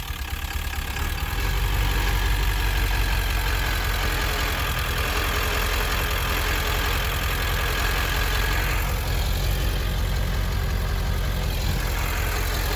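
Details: 1999 Ford F250 7.3L diesel with ZF6 manual: uneven rumble and drone from driveline in first and second gear under load, same in 4x4 low or two-wheel drive, absent in neutral; source unknown.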